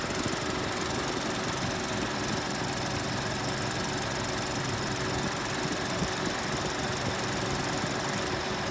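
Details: 2018 Ford Expedition at cold start: dense, busy idle with a fast light tick buried in the engine noise; cold-start tick, cause not identified.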